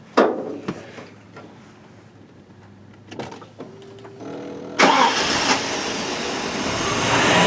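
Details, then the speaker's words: 1988 Mercedes-Benz 560SEC Euro V8 after fuel pump replacement and a leaned fuel distributor mixture that had been flooding: clicks, a short crank, then a steady idle, and it revs nicely. It smokes, possibly from old gas or valve stem seals. The finding is normal start and idle. "It runs okay. I'm sure I'm going to have to fine tune it, but I do have a CO meter, so I can do that. But it revs nicely, it runs okay."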